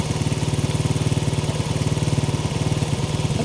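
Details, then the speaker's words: 1970 Honda CL100 single, about 11,000 miles, freed from seizure, choke off after correcting the idle screw that was screwed in all the way: steady, even, unhurried thump with no misses; settled normal idle. "it was my uh my idle screw was screwed in all the way wo that sounds good that's awesome"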